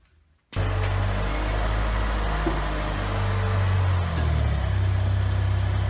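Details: 1990 Mustang stripped of every panel for a lightweight car, engine started before the first test drive with the battery newly mounted: it catches cleanly, settles into a steady even rumble and picks up smoothly when revved, no knock or tick; healthy normal running.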